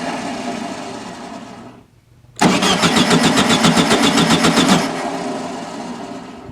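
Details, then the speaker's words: 1974/75 VW Super Beetle after new Pertronix electronic ignition install, plug wires reset, timing not yet set: starter churns, brief gap, then rough catch with uneven pulsing roar that fades; owner suspects a vacuum leak from removed airbox, unconfirmed. "I got a vacuum leak when I took off the airbox uh yeah I didn't think the one this small would affect it but it seems like it is"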